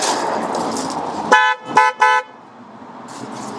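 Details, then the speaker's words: Japanese-import Corvette C5 convertible: three short honks, each a clean two-note chord from both horns sounding together; horn working normally. "sounds like a horn sounds like two horns singing a sweet major third doesn't it something like that"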